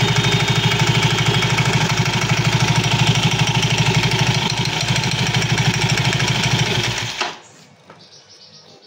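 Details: Soul GT 115 scooter running with a quick steady clatter, about three knocks a second, from the CVT belt drive, then silence; suspected loose or worn CVT parts, not yet confirmed.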